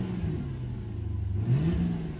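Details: 2003 Infiniti M45 V8 after swapping a faulty ignition coil that caused a misfire; deep even idle then brief rev, running smoothly, slight exhaust leak possibly at a resonator.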